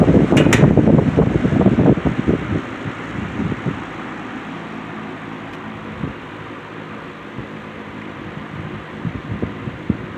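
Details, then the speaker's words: C&H Wizard box fan after motor swapped from another box fan, on low speed: after handling clatter, steady even whir with no rubbing or ticking; normal running. "This has a really good really good low speed. I don't know if you I don't know if you can hear it on the camera, but it has like a like a really cool line sound."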